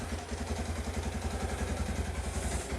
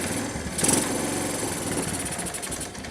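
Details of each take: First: 1986 Kawasaki KLT185 three-wheeler, long-sitting, just revived and restarted after shutdown: steady, even single-cylinder thump at idle with a regular beat, no knocks or misses; healthy idle. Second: 1986 Kawasaki KLT185 three-wheeler, long-sitting, revived, in neutral with a slightly sticking throttle: single cylinder blats unevenly and bogs instead of revving when the throttle opens; owner suspects a partially stuck choke or a worn-out carburetor.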